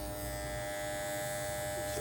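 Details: Andis T-Outliner trimmer after silencing adjustment of its screw: steady, even electric buzz with no rattle, now running smoothly and quietly.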